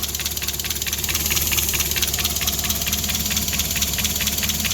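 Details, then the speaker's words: Mazda Miata running again after a supercharger intake install (new throttle body piping, IAC coupler, AFM, cone filter), idling a little low: loud steady hiss over an uneven idle, owner suspects a vacuum leak, perhaps from the different intake; hissing at idle. "hear what sounds like maybe some vacuuming leakage but that might just be because it's got a completely different intake in it and I don't know"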